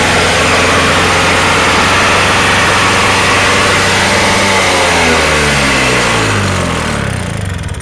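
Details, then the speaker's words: Toro two-stroke snowblower on a cold start, firing in two pulls with good mixture: loud, uneven putter that sags and slows, and it needs the handle held back to keep running; rough idle. "As you can hear, she don't idle too good. You pretty much gotta keep it going with the handle back."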